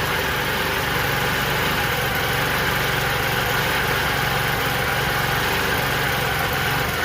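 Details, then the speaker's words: Scooter with a new clutch after the enricher switches off and idle is turned down: steady, even idle hum with a low regular pulse, no knocks or misses; rear tire has stopped spinning, normal idle. "back tire has almost stopped boom and it's staying running like i said a little bit of movement not too bad that's fine that's the plus breaking in it completely stopped scooters still idling"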